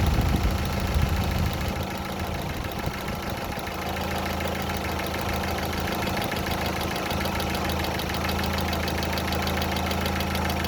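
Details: Fast, light top-end ticking over a steady idle, a few clicks a second: hydraulic lifters tapping after water got into the oil; fully cured by an oil change.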